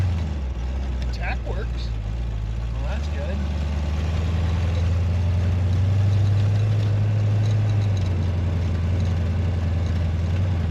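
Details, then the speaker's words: Freshly installed engine on break-in oil, radiator temporarily fitted, some coolant leaking: deep steady idle with even beat and no knocks or misses; starts up and runs well. "She starts up and runs good. Sounds like a beast. An absolute beast."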